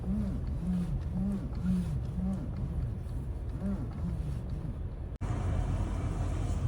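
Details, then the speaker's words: Toyota Land Cruiser 200, noise when turning steering wheel, appears when cold and sometimes not at all: low groaning moans swell and fade with each turn over a quiet idle; cause not stated. "әйтеуір ондай дыбыс бар да рөлде. Осы салқын кезде шығады да, кейде шықпай қалады."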